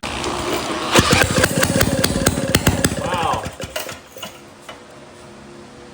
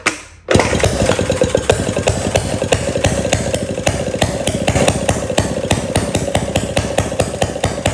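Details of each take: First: 1937 Maytag Model 92 single-cylinder two-stroke, after carb cleaner and priming: a few sharp pops then firing fades within seconds; it catches on the prime but owner thinks it isn't picking up fuel yet. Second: 1937 Maytag Model 92 single-cylinder two-stroke after cleaning the gas tank and mixer and fitting a new spark plug: quick catch, then an even rapid string of sharp firing pops with no misses; runs well.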